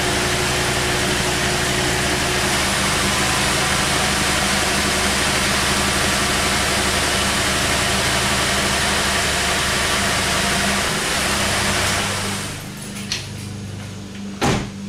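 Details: 2008 GMC Acadia at idle with an uneven, lumpy beat about four times a second before shutting off. It began misfiring just after a PCV valve change and set a random misfire code. Low compression is found on cylinder #3, which points to a single-cylinder misfire.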